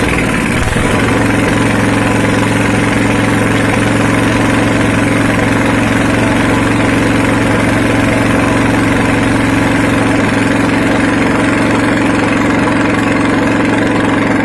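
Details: Honda GX240 petrol stationary engine, restarted after sitting unused for days: settles into a steady, even single-cylinder idle with constant low hum, no misses or knocks; runs healthy.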